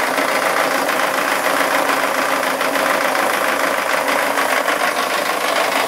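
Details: Mazda Miata petrol engine, first start on fresh oil after eight months, run about one second at full throttle with an object propping the throttle open: loud, fast, clattering knock running steadily throughout; engine knocking hard.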